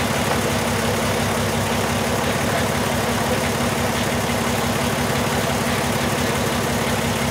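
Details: 2002 Volkswagen Jetta VR6 idling after replacement of two injectors diagnosed faulty; steady idle with an uneven, lumpy pulse about three times a second, cylinder 1 dropping out; still an injector circuit fault on cylinder 1, traced to a bad new injector causing the misfire.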